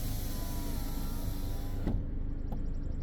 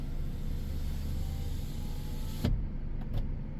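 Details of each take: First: 2015 Ford Edge, power window relearn, button held the whole time: steady motor whir, then a single dull thud in the door as the motor stops, signalling the learned position is set. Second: 2015 Ford Edge rear window after relearn: steady motor hum as the glass travels the full way on its own, stopping cleanly with a soft clunk; auto function working.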